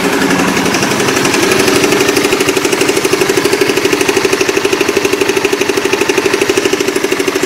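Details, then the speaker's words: Motorbike ("Oscar") with a klotok-klotok engine knock present for almost a year: a steady, fast, valvetrain-type clatter of about three knocks a second over an even idle, which later went away. "Yaitu video pertama di saat mesin suara klotok-klotok dan sangat-sangat jelas, dan yang kedua adalah video di saat suara klotok-klotok sudah hilang."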